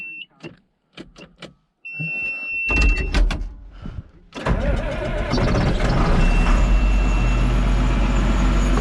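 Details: John Deere 7430 Premium tractor during heater control valve replacement, described as ether-addicted: a few clicks and short crank, then the diesel catches and settles into a steady, even run with no knocks; normal running.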